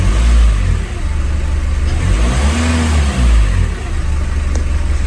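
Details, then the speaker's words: Test drive after fitting a new sensor to replace a rusty-electrode one, pollution and injection warnings still on: deep engine drone climbing under throttle with no whistle or spool sound, the turbo not heard building boost. "Le bruit a pas trop changé, j'entends pas le turbo chargé."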